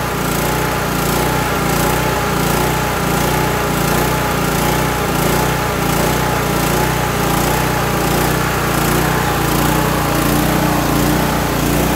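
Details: Kohler Courage 18 single-cylinder engine on a Toro lawn tractor with a non-adjustable carburetor jet and an unclogged fuel cap vent: engine speed rises and falls about every second instead of holding steady. Surging.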